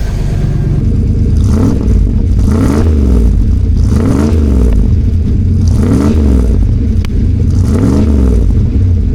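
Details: 1996 Dodge van with a newly welded-in Cherry Bomb muffler. Deep, throaty exhaust note rising and falling in five clean blips, even and steady with no rattles. Normal revving; a fuel leak is still present.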